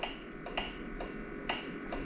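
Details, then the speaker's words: Worn steampunk powerchair whose MK batteries (about 2 volts) are being revived on a Victron charger: sharp dry relay clicks in pairs about every half second with no motor running as the chair keeps power cycling; the charger often then detects a short; cause unknown. "we've got other issues going on with this chair that's making it like power cycle here"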